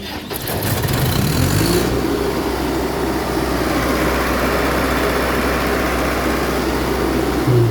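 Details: Perkins diesel engine on a Broadway sweeper: cranks briefly, catches, then settles into a steady, even drone with no starter grinding; normal start.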